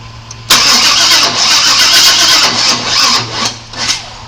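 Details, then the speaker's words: 1997 Chevy Suburban that sat broken for years, after a timing adjustment and re-priming the fuel pump: starter spins steadily about four seconds with short dips, never fires; smells of gas, spark not yet checked; no more intake backfire. "no it doesn't seem like it's trying to do anything I don't even know"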